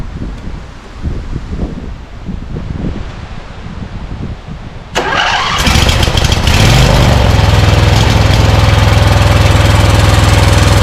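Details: Scag Cheetah mower with Briggs & Stratton Intek V-twin (from a Craftsman): cranks, catches and runs loud and rough with a lumpy beat, misfiring on one cylinder; left carburetor side likely sucking dirt past the air filter, carb replacement planned.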